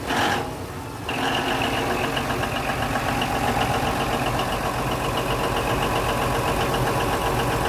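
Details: Denyo DCA610SPM generator cranking steadily with uneven pulse about four per second but never catching; magnetic pickup tested good at 1.3–1.4 ohms, wire harness suspected; crank no-start.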